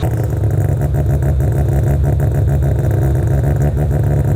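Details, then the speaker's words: Rotary engine, first cold start warming up at 1200 RPM, with 4-inch exhaust, resonator and two mufflers: deep, fast, even burble with no stumbles or surges; idling smoothly. "it's idling at 1200 RPM right now it's not super pumped but it's smooth"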